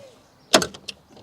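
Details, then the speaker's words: 2008 Hyundai Elantra 2.0L driver front seat belt after repair of a rough, clicking retractor: a quick pull gives a short webbing zip and crisp lock click with no grinding or rattle; retractor works normally. "just to make sure that it sounds good if I pull real hard it will catch there so that's looking good"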